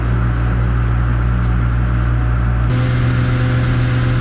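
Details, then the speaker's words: 7060 tractor with 301 engine hauling grain up hills after the injection pump was turned up: firm, steady diesel drone holds pitch under load and steps cleanly through a power shift without bogging; lugs less than before, pulling well. "Alright guys, so far I'm sold on him turning that up a little bit. I can just hear it in the engine. It's lugging less."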